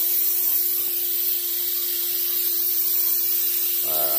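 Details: M939 series military truck air system at max pressure: steady sharp hiss of escaping air with no letup; wet tank leaking down through a bad brake treadle valve; valve replaced.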